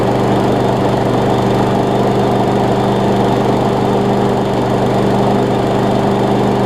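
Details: Craftsman push mower with Briggs engine after carburetor swap, new flywheel key, pull rope and lapped valves, started with starting fluid, carb now priming; water found in it: steady, even single-cylinder drone with constant hum; normal running.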